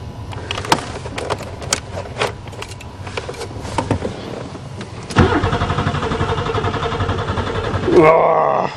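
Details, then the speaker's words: Buick Regal after sitting over winter, battery fitted, spring start attempt. Steady cranking about four beats a second with no catch and no fuel pump heard: crank no start. "I depended on this car I drove it there last year I don't hear the fuel pump has anybody been in here"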